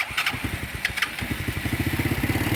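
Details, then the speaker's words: 2012 TaoTao 125B ATV after replacing bad brake-light safety fuse: brief crank, small single catches into quick fairly even pulses; starts, though runs somewhat rough with loose chain. "boom fired right up yeah it runs rough and the chain's loose but hey for less than 100 bucks i got it to run"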